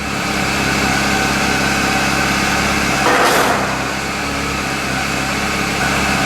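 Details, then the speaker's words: 2002 Chevrolet Cavalier after a curb strike on the right front tire, bent wheel wobbling; engine idling while steering is turned lock to lock, brief scraping rub at full lock as the wheel catches on something. "Well, it sounds like it's hitting something."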